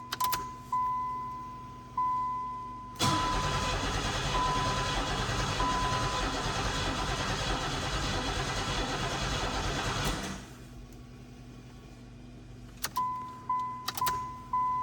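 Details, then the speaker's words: 1990 Pontiac 6000 SE AWD, start attempt after sitting 20+ years, about 1.5 gallons of fresh fuel added: starter cranks steadily about seven seconds, never catches; fuel pressure gauge barely moves, low fuel pressure (gauge accuracy assumed). "All right, if we get in here will it build fuel pressure now? Looks like it wants to. The needle on the gauge is moving a little bit, but not much."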